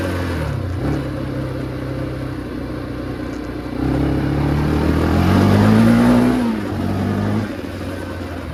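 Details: 2005 Can-Am DS650 big-bore quad, just revived, oil/coolant light went out instantly: single-cylinder thump revving up and settling cleanly through the restricted muffler, no missing or clatter; runs pretty good but less powerful than expected; normal running.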